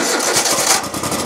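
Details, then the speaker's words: Exmark Lazer Z E-series 60-inch mower, about 2016, with a 27 hp Kohler engine at about 3,800 hours, after a flooding carburetor was addressed: a sharp, rhythmic knock beats through the rattly running when throttled up from idle. Cause not yet pinned down. "let's see if we can take some uh take some throttle boy i hear a knock i hear a nasty knock in there did you guys hear that knock oh man there's a nasty"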